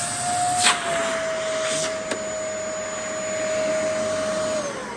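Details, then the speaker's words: Vacuum just fully serviced: brush bar checked spinning, sole plate and U-bend refitted, brush bar not yet cleaned. Tested on thick carpet with a steady high motor whine and the brush bar turning. It now runs normally. "So yeah, that works absolutely fine now."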